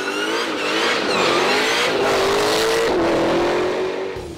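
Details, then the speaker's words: 1000 hp Dodge Challenger: strong rev that rises then settles, with a deep, even tone and no rasp, drone or misfire. Surprisingly refined sound for a thousand horsepower; healthy. "oh i know there's no way in the pit of hades i would ever think a thousand horses would sound like this"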